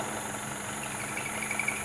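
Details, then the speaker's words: 2016 Citroën C4 Lounge 1.6 THP at steady idle: a faint, high, cricket-like chirp comes and goes, mistaken for belt noise. Cause is a failed PCV diaphragm in the valve cover under engine vacuum. Pulling the dipstick stops it; fix is replacing the valve cover. "É um diafragma que tem nessa tampa de válvula aqui, que causa esse barulho devido a um vácuo que é criado dentro do motor."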